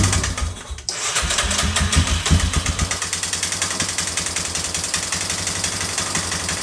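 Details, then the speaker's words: 2003 Yamaha Wolverine quad after a pinched carb gasket leak, carb nearly dry: starter churns in a fast, ragged rhythm, engine never catches. Owner first thought it was out of gas; later found it won't run without a battery completing the circuit. "Have not changed a single thing. Now it won't even run."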